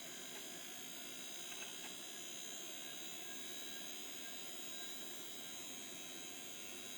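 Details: Failing hard drive with stuck heads beeping: steady, thin high-pitched whine with faint clicks from noisy spindle bearings.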